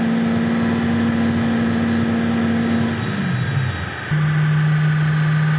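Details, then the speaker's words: Aston Martin V12-powered Foxbody Mustang on the dyno: a steady high whine that drops with revs comes from the drive-by-wire throttle bodies' PID frequency while tuning; it was thought worse before because of big vacuum leaks. "That squeal, that whine you hear, that's what that is. I think it was compounded last time by pretty big vacuum leaks, but he's going to dial it in."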